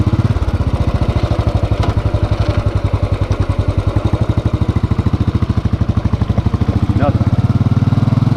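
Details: Hot motorcycle idle after a short ride, with the engine replaced (including starter, internals, throttle body and fuel injector): an even thumping idle, about twelve pulses a second, with no knock or valve tick; healthy.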